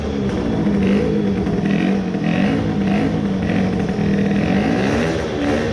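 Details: Tuned 20 hp two-stroke moped engine after crankcase resin filling: steady buzzy note rising and settling smoothly with throttle, no knock or tightness; runs normally, maybe slight grinding.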